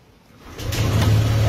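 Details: 2018 Yamaha Aerox version 1 scooter just after ECU repair, with spliced wiring sealed in shrink tube: it starts and settles into a steady, even, smooth hum with no misses or knocks. Normal running.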